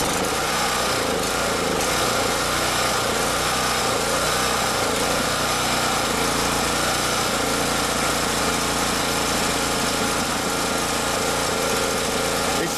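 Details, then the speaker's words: Champion generator, stored a year, no-start, running after simple checks: small engine droning at steady high speed with slight unevenness and hunting in pitch; mild surging, rough running, owner suspects fuel issue in carburetor. "it sounds like it's okay maybe running a little rough look it just started surging i think it's still having some kind of fuel issues maybe in the carburetor"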